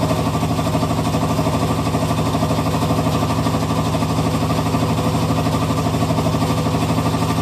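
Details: Hitachi Beat Wash Slim washing machine. A steady, even rattle at about three beats per second runs through the whole cycle. Something loose is knocking, cause unclear; owner suspects the machine is near the end of its life.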